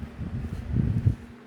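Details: Mainstays 12-inch oscillating table fan, model TF330E, on medium speed: low, uneven buzzing rattle over a quiet motor hum from the housing wobbling and vibrating, grille already bent; the vibration mostly fades on high speed.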